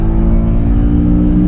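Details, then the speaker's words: BMW E92 M3 with S65 engine, first drive after replacing a holed exhaust manifold (header) that caused limp mode for nine months: loud, smooth, even engine drone under acceleration with no ticking or exhaust-leak puffing. It sounds healthy. "9 months and it's finally fixed. Oh my god. Yes. Let's go. 9 months of no M3 and we are back. Listen to it."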